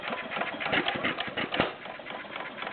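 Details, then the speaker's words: Warm Stover CT-2 hit-and-miss engine, 2–2.5 hp, choke open, about 500 RPM by tachometer, a little noisier: light quick valve-gear clatter broken by occasional firing thumps at slow governed speed; runs and governs fine. "little noisier it's running at about 500 RPM right now I have a tachometer I I uh clocked it about 500"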